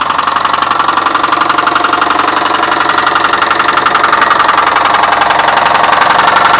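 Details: 1999 Subaru Forester with 101k miles: a fast, even knock over the idling engine, suspected rod knock; the engine is to be pulled and replaced.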